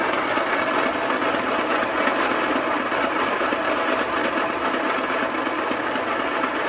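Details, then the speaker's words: Homemade rock tumbler after months of non-stop running: loud, steady gritty rumble with a loose churning pulse about twice a second; owner thinks worn bearings cause most noise, belt also breaking; rebuilt. "so what do we do about that I think it's the bearings make the most of that noise"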